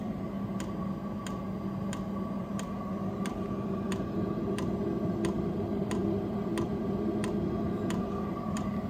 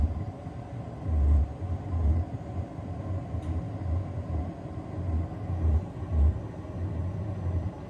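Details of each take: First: Vevor diesel heater at about 30 hours of running, after being turned to setting 4: crisp, even fuel-pump ticks about three a second over a steady fan hum as it heats up. This is normal metering on startup, and it soon quieted. Oil under the tank was possibly spilled; no leak found. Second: Vevor diesel heater just turned up to setting 4 and igniting, with smoking: low, uneven growling rumble with throbbing surges about every second. Cause unconfirmed; owner suspects spilled fuel or oil under the tank; it quieted as it got hotter.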